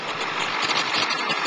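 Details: 2001 7.3 diesel, in for a no-start and now running: steady, even diesel clatter at idle with no misses or stumbles, so the engine is running normally.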